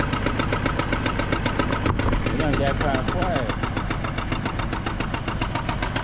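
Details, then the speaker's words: GMC Envoy with under 10 miles on a new transmission: steady fast tick, roughly 220 per minute, over a rough idle, seeming to come from the top; cause unconfirmed. "But it's definitely making that noise right there. You know, like I said, it's almost like it's coming from the top."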